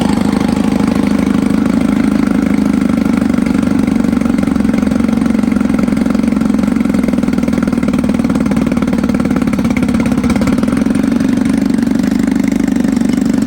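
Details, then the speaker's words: 1954 Evinrude 7.5 HP Fleet Twin outboard, sat for years, revived with new coils, cleaned points, rebuilt carb; running with hood on, staying cool: steady, even two-stroke buzz at constant speed, no misses, knocks or surging; normal running. "staying nice and cool. Honestly, I'm really surprised with how well this thing runs. It's been sitting for years and with a little bit of maintenance, a few new parts, it's up and running again."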